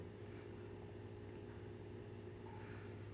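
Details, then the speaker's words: PS5 console powering on, noise starting as the screen appears: steady loud droning rush with a low hum under it, every time it's switched on; abnormal startup noise, cause unknown. "já ligou lá é quando aparece a tela que ele faz esse barulho"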